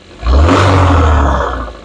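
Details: Engine given a slight rev brings out a deep, low rattle from the bottom end, diagnosed as rod knock. The rattle is mainly heard when revving, and the diagnosis was confirmed by teardown.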